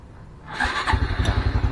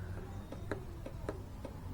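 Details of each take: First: Honda Blade 125 FI, starter only clicking: with starter relay bypassed, starter spins briefly and engine catches at once into an even steady low thump; clicking starter relay found faulty, normal start and idle. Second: Honda Blade 125 FI, starter won't crank: sharp dry clicks two to three a second with no cranking; circuit active, starter motor or bendix suspected; faulty starter relay.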